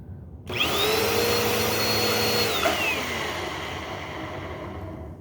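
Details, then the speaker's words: Bissell Powerforce Helix upright vacuum: whines briefly, then winds down with a falling, slightly rough tone; motor seems okay, owner suspects worn brush roll bearing. "That to me on wind down sounds like that might be the brush roll."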